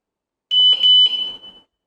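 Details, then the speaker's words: Chirp from the alarm on a Tuscany 150 motorcycle as the lock button is held to enter sensitivity setup (one chirp = level 1, hardest setting), set because the alarm triggered too easily; a short high electronic chirp with quick warbling pulses. "พอไฟกระพริบกดปุ่มล็อคค้างไว้ครับรอจนกว่าจะได้ยินเสียงดังแก๊กนะฮะกดปุ๊บนะครับอันนี้คือดังหนึ่งครั้งนะครับ"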